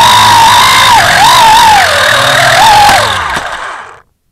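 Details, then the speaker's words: WLToys V262 Cyclone quadcopter in flight: high whining drone buzz with a wavering squeal near 1 kHz from one failing brushed motor, fixed by replacing the motor. "well I don't know if you hear it or not but I got a motor going bad on me oh well that's the end of that flight"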